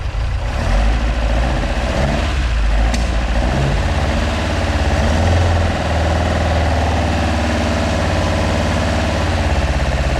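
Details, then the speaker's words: Mk2 Ford Escort with Pinto engine and twin carbs, first fire-up after the build, warming up: idles with an uneven, loping beat and a slight hunt in the exhaust note; carbs only mildly set up, still needing adjustment. "so as you can see that's the car running i'm not sure if you can hear me um the carbs still need setting up so that's why they're a little bit lumpy"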